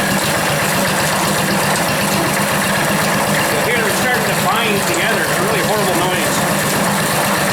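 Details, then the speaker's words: Antique belt-driven corn grinder: steady harsh grinding with wavering squeals over the drive noise, grinding almost to powder and feeding slowly. Plates adjusted too tight and binding. "about there hear that noise that's horrible right W now it's a lot finer coming out here it's like almost powder now right and it's not feeding in quite nearly as fast"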